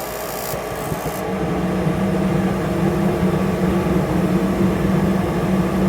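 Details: Rheem/Ruud gas forced-air furnace that had Error 57, with the original pressure switch refitted after sealing cracks in the inducer fan housing: inducer hum builds steadily into an even drone with no rattles; furnace lights and runs normally.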